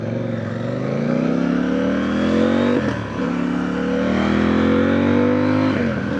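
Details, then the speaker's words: CFMOTO 800NK twin revved twice after a ride, rising smoothly and dropping back with no ticking or rattle; the owner had feared a timing chain problem from rough noises, but the chain now sounds settled and healthy. "Nampak dia okey je."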